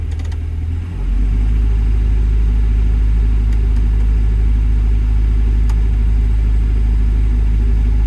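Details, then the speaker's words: Develon DX62 digger diesel at idle: deep drone with uneven, lumpy beat and vibration from a misfire; actual rail pressure erratic around 350–370, debris found in metering unit despite clean fuel filters; mechanic suspects failed injectors, pulling them for testing. "There's definitely a misfire because I'm getting like a vibration. I think it wants a set of injectors."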